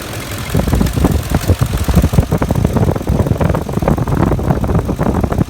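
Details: 2006 Ford F-150 idling at about 625 rpm, hot after 45 minutes of driving at about 109 degrees, visibly shaking; low, uneven idle with irregular thumps and a loping beat; rough idle, cause not pinned down.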